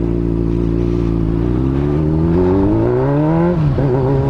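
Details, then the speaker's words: Honda Hornet motorcycle during second-gear wheelie practice: revs climb then stumble and cut out near the top with a rattly, uneven beat; misfiring under load, rider suspects the fuel pump. "ó ela tá falhando não tá muito legal não ela"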